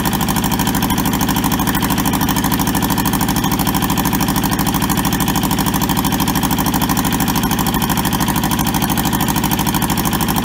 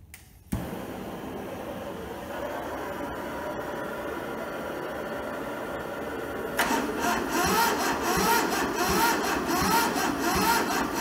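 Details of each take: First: Toyota SDK4 diesel skid steer, bought sight unseen and arriving rusted and frozen, on its first restoration start: jump-leaded starter and a small temporary diesel tank. Steady, even diesel clatter at idle with regular firing pulses, no misses or knocks; idles smoothly and healthy. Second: Toyota SDK4 skid steer diesel on jump leads after injector bleeding; slow labouring crank nearly catches then drags; owner thinks the battery is going flat, and it cannot spin the engine fast enough; weak cranking, no start.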